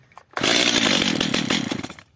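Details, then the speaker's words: First start of a Stihl MS 230/250 chainsaw, probably repaired unsuccessfully by its owner before. It catches with a harsh loud buzz under two seconds, then dies abruptly as if short of fuel; suspected carburetor fault or air leak. "Darka odpala Ewidentnie ma mało paliwa gaśnie lub napracowanie problem z gazikiem lub z nieszczelnością"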